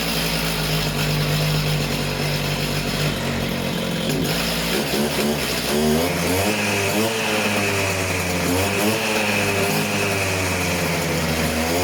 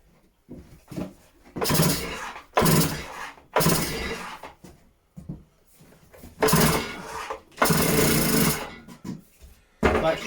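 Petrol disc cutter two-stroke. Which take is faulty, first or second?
second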